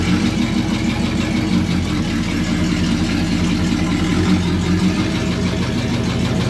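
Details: Truck engine idling rough with an uneven low rattle under the exhaust; knock at idle but not in drive or reverse; torque converter bolts checked tight; owner suspects a snapped rod, not confirmed.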